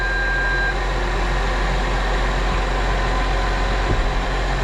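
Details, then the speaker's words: Case 305 tractor just after replacing the exhaust manifold gaskets: deep, steady idle with an even beat and no clicking or puffing from the manifold area. "well I don't hear any kind of clicking"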